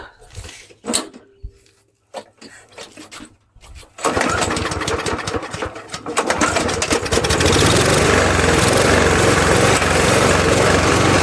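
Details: Murray mower with 20-in blade, original Tecumseh engine swapped for a Briggs (stated as "brace"), after spraying debris from intake: pull-start, catches, runs loud and uneven with hunting, surging speed; owner then looks for leaks, suspects air leak.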